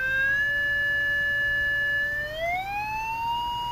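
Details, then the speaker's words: Emerson R-156 electrodynamic speaker with new field coil, original cone and new cardboard gasket, field coil powered: clean tone stepped from about 600 Hz to 1000 Hz with no buzz or rattle; normal. "there's 1000 let me switch scales here there's 100 Hertz and there's 60 Hertz and the great thing at 60 I don't hear the voice coil rubbing"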